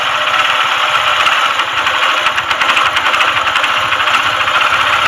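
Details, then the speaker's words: TVS single-cylinder bike before full engine rebuild, idling with rapid hard metallic clatter from connecting rod knock inside the engine; it also smokes and the battery is weak, so it is kick-started. "Connecting rod sound అయితే engine లోపల అయితే వస్తుంది అనమాట."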